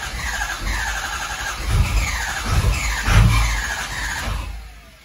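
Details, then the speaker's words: 6.0 Powerstroke diesel with high-pressure oil pump updates, crank no-start: starter cranks in long pulses with a recurring squeal, engine never catches; ICP jumps around, barely reaching 500 and not holding it, IPR up to 85; low injection control pressure. "So you can see how our ICP volts, our ICP pressure, it was almost building to 500. It might hit 500 every now and then."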